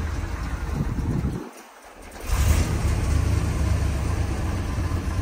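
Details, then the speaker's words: 1970 Chevrolet Corvette L46 350ci V8, four-speed manual, cold start: deep, even V8 idle with one quick blip, no ticking, pinging or lifter noise; engine sounds healthy. "it's quiet as you can hear you don't hear any uh any engine noise no pinging no lifters w battling"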